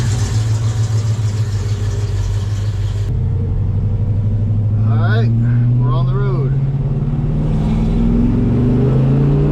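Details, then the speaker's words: 1968 Ford Mustang 302 V8 on a test drive after JBA tri-Y headers, X-pipe and dual exhaust install: deep even rumble pulling smoothly, backfiring and pops essentially gone, quieter and not obnoxious. "Well, the backfiring and the pop is essentially gone. So that was goal number one. I mean, it sounds good, guys. It's fine. It's just not crazy loud and obnoxious, which honestly, this is the wife's car, so it's not that bad."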